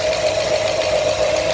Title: new 347 crate engine knocking part 2